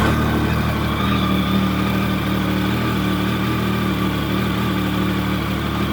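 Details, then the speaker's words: Triumph Sprint GT 1050 triple after service with fresh oil, new air filter and new GRmoto exhaust, just started: steady, even idle with deep exhaust burble, no knocks or rattles; normal idle. "let it push the oil around before you start revving it. And Sounds all right. Exhaust sounds all right."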